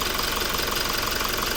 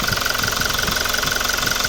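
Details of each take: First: Toyota Revo diesel, about 140,000+ km on the odometer, idling after intake manifold and EGR cleaning: fast, sharp, even clatter over a steady low hum, loud throughout; louder than the first-generation Revo, injection knock, no clear fault. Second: Toyota Revo diesel with over 140,000 km, idling after an intake manifold cleaning: a steady, even clatter around three beats a second with a faint whistle above. It runs smoothly and nothing sounds abnormal.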